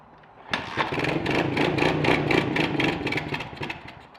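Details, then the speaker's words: Kawasaki KLX110 single that hadn't run in years, choke on, starter fluid sprayed in: engine catches and chugs unevenly at about four pops a second for three seconds, then dies; dirty carburetor starving it. "Okay, not a good sign. Although looking at the front of the carb now, it is dirty."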